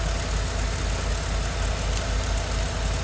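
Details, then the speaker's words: 2013 Ford F150 after replacing a seized alternator, the battery and the belt: an even idle pulsing about three times a second with no squeal, whine or shake. Normal idle. "all right nice and good no squealing no shaking no nothing it all looks good sounds good"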